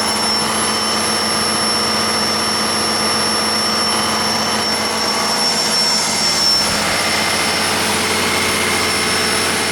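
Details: 1959 Caterpillar D337F diesel generator set, ex-hospital, barn-stored 10–12 years, about 959–960 hours, running with no load and barely at operating temperature: steady, even roar at constant pitch, no knocks or misses; normal running.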